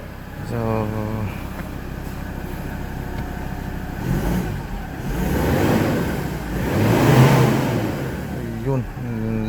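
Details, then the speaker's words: Mazda BT-50 after fixing no-crank no-start, in engine bay, charging 14 V; blipped engine picks up cleanly, climbs smoothly, settles with no lag or misfire; strong, healthy response. "lakas talaga. Okay. Hindi siya delay reaction. So goods na good. Goods na goods itong engine na to ah."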